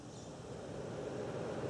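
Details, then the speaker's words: Late-model vehicle cooling fan motor powered directly for high speed, positive to both top terminals and negative to both bottom: steady rushing whoosh building slightly and holding even, no grinding or ticking; high speed works. "that's certainly faster so that verifies that the high speed is working here"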